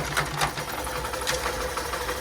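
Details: Hero Super Splendor BS6 i3s, 4321 km, after repair of cut rocker arm and rocker pin with timing set: fast, even light idle patter, no top-end clatter; loose chain noted.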